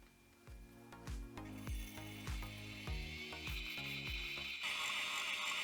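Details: Likely the HardCard 20 drive, opened on the bench with head moved away from the damaged platter area: steady sharp clicks, one or two a second, as the heads retry reads; owner suspects platter damage harmed the head.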